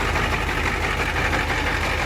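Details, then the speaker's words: 1990 Ford F Super Duty, naturally aspirated 7.3 IDI diesel, warm idle before injector replacement: lumpy uneven low thump and loping beat; cylinder one injector later found leaking badly and another with broken pintle, likely missing on two cylinders; misfire. "but you see that pin tile is broken so we're probably missing on like two cylinders no wonder is running so rough"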